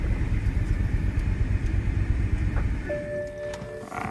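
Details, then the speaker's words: 2008 BMW M6 V10 six-speed manual barn find at idle: rough, uneven idle with a stumbling beat from a miss on one cylinder, then a thin steady whine when the clutch is worked from a worn throwout bearing. "can tell something's up with the throw bearing, but that's not too bad, but it does have a miss on one of the cylinders."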